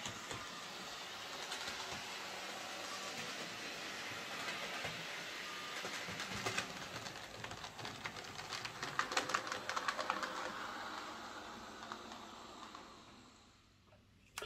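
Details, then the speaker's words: Hornby J36 model loco, after lubricating screeching gears with gear oil and white grease: light, even motor whirr as it passes and fades, faint track clicks, no screech; normal running, fix confirmed. "so yeah that seems to fix the problem just uh the gears needed lubricating that was all"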